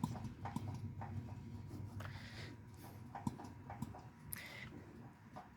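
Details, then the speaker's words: 1980s MTD Yard Machine garden tractor, 18.5 hp Briggs & Stratton, oil recently changed: faint irregular clicks and light knocks as the stopped engine is turned slowly by hand; owner wonders if it is rod knock, unconfirmed. "when i turn that sideways like making a knocking noise kind of now i'm wondering if that's rod knock or not"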